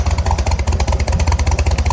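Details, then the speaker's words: 1965 Chevrolet C10 V8 with carburetor, first running: deep lumpy idle with uneven pulses and stumbling rhythm; running rough and loaded, crew suspects the carburetor and plans swapping to another carb. "Yeah. Yeah, it ain't running right. What's that other side sound like?"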